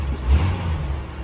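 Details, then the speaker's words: 1988 Jeep Wrangler YJ on a cold start after an electric fuel pump conversion: a short, deep rev swells and settles smoothly with no bog. It used to hesitate badly before warming up, blamed on the carb; now it picks up cleanly. "So before, when you did this, before it was even warmed up, it would hesitate real bad. But we figured, that was a carb."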